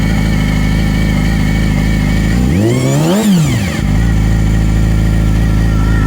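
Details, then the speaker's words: 2016 Yamaha R6 after valve adjustment: steady whir at idle from the right-side cam chain, climbing with a blip; the exhaust-side cam chain guide was reinstalled without its retaining pin in the pin hole, making the chain too tight. "so i think the uh cam chain is too tight but i don't know what the hell could be wrong i"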